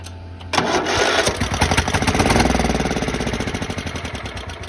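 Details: Craftsman lawn tractor, shed find sitting about 4 years, battery trickle-charged about 18 hours, charger off: quiet, then catches and fires up into a quick even putt-putt that keeps running; starts and runs fine.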